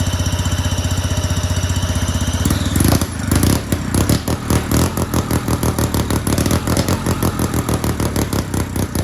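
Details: Two-stroke go-kart engine on premix, started with a drill on the flywheel, open exhaust: rapid pops, rough catch, then crackling steady idle; runs and idles nicely, though owner suspects the carb causes very hard restarting.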